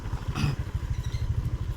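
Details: Honda Vario 125 scooter hesitating under throttle, revs pulsing unevenly in the low range, surging and dropping instead of climbing clean, reportedly losing power at high rpm; a Malang shop blamed the throttle position (TPS) sensor.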